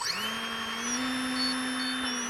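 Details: Electric motor at start-up: loud, steady, high-pitched whine with sharper squealing tones above it, an abnormal motor noise. Bearings were checked and are fine, so they are not the cause.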